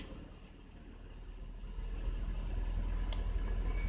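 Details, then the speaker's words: 2000 BMW 318i E46 with a staying-on check engine light, idling at 1250–1300 rpm with no foot on the gas while the TPS is checked for a hunting idle: steady, slightly fast, even drone with no load change. High idle, cause not confirmed. "S now I don't have my foot on the gas video but look the tachometer is saying the airplane is hanging around 1250 1300 layabouts"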